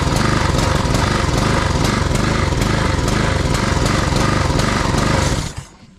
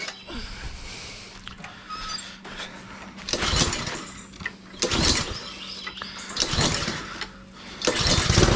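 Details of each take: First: Husqvarna push mower, Honda GCV160 engine, after tune-up with new air filter and cleaned carb: idles okay on choke, but choke off it surges with uneven pulsing and dies; lean running, suspected clogged jet. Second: Husqvarna push mower with Honda GCV160 engine, after service (cleaned carb, new back plate and air filter, oil, plug), previously surging lean with choke open: rough pull-starts, then a steady even drone with no surging. Running normally.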